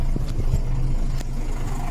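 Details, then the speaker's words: Volvo B10M diesel at steady idle after rebuilding the Bendix AD-2 air dryer, waiting for it to unload: even low rumble, no tinkling or hiss of air leaks; air system healthy. "No tinkling, no leaks."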